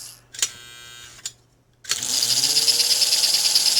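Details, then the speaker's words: 1949 American Flyer #322 Hudson toy steam locomotive motor, after the brushes were reseated: it runs in reverse and spins up to a steady, even, high-pitched whir with no rattle or catching; normal running. "Now, I don't know if you can tell, but that is an improvement RPM-wise over what we had before."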